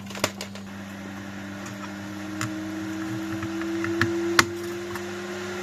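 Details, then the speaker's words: Salvaged AMD Phenom motherboard powered on without the CPU cooler mounted, fan connected: steady hum with a whine climbing in pitch plus light clicks; fan running at full speed, possibly due to the CPU. "the fan is going crazy could it be that because of the CPU"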